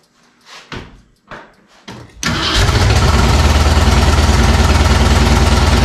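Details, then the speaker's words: Rebuilt Ford 302 going into a 1967 Mustang, first test crank after fitting headers: a few cranking bursts, then a lumpy uneven idle pulsing about three times a second; rough running because the Trick Flow cam was for a 351, later changed and retimed. "well, you did hear it run just for a little bit, but it wasn't running right. This is a 302. but I didn't realize that cam, that trick flow cam, was for a 351, not 302, so I had to change that up and time it."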